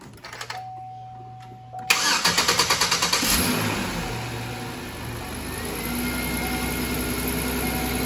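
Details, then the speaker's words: 2005 Chevy Equinox 3.4 after battery replacement: quick burst of even cranking, catches at once and settles into smooth steady idle; starts and runs normally. "and there you have it guys running fine starts right off really good"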